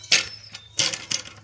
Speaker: This one, so you can hear it, it's a little bit loose. The handle kind of rotates.